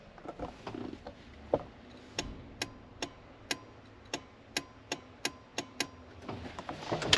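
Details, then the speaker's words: Jeep that won't start, hood closed, listening near the fuse box: about ten sharp relay clicks with no cranking; clicking means relay, battery, fuse and ignition switch are good, leaving the starter as the suspect. "That clicking there is basically the noise you are looking for. And if that clicking is occurring, that means that your relay is good."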